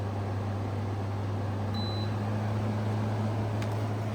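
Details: 2016 Arctic King 5000 BTU window air conditioner, model WWK05CR61N, fan only on high drawing about 0.5 A, 63 W: constant, even low hum with steady airflow rush and one short beep, no rattles or scraping; fan runs healthy.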